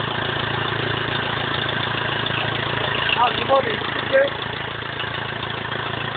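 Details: BMW E46 320d 150hp diesel, first start after engine overhaul following swirl flap failure: steady, even diesel clatter at idle with brief throttle blips, no misses or knocks; normal diesel idle.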